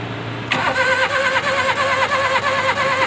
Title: Engine 660 cc fault misfire